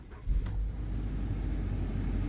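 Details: 2009 Chrysler Sebring with a cold no-start complaint and throttle-body lightning-bolt light, restarted after clearing codes: catches quickly and settles into a smooth, even low rumble with no stumble; starts and idles normally.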